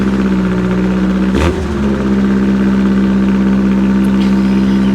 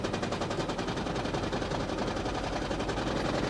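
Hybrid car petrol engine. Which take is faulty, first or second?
second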